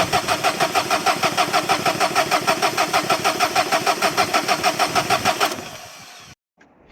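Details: 2011 Dacia Sandero Stepway, 1.5 dCi diesel, with a rail pressure fault code: even cranking for about five seconds that never fires. The glow plugs were suspected then ruled out; no power is reaching the injectors, and the crank sensor is to be checked.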